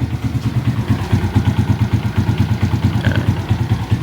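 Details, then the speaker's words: 2013 Suzuki Shooter, 113 cc fuel-injected single with 650 ml oil. Slightly rough at first start before oil reaches the piston, then an even, smooth putt-putt idle with no rattles or knocks. Normal idle. "Setelah itu baru dia halus seperti itu."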